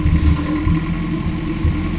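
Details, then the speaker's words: Honda K24 engine swapped into an AE86 touring-car build, first start, no alternator or water pump connected yet; steady low idle settling from about 1300 to 1200 rpm, then around 1000, even beat, no knocks or ticks; normal idle. "1300, yeah. That's 1250. 1200, 11. They're right around 1000 right now."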